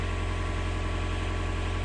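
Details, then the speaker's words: Canal widebeam narrowboat diesel running again after a blown blade fuse that caused a no-start was replaced; even regular low thumping at a steady idle with no misses or knocks; normal idle. "Right, I hope you can hear me above the noise of the engine. That's sweet music to my ears after that bit of a mishap."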